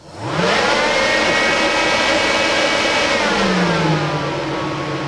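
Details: Whole-house DC fan on PWM speed controller in off-grid cabin, full speed: loud, steady rushing whir with even motor hum, no knocks or rattles; running normally.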